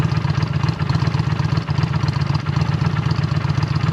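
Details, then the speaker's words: Just-bought 2009 Honda Shadow Spirit 750 (VT750C2) V-twin with Cobra exhaust, cold: steady, even loping idle thump, throatier than stock, no knocks or ticks; normal idle. "Sounds a little bit throatier than stock with the Cobra exhaust on it. All right, that sounds nice."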